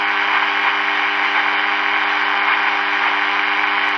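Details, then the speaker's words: Early-1950s HMV Little Nipper Mark II valve radio with 6X5 rectifier: steady low mains hum under constant hiss and static, no station ever comes through, because the oscillator is dead. "um like I said we've got static coming through so that's always a good thing"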